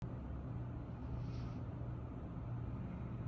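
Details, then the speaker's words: Old commercial Trane water source heat pump on a cooling call: only a steady low fan hum and airflow, with no compressor. A clogged condensate drain has tripped the float switch in the series safety circuit, locking out the compressor. "fan's running, but I don't hear the compressor. Let's open it up and see what's going on."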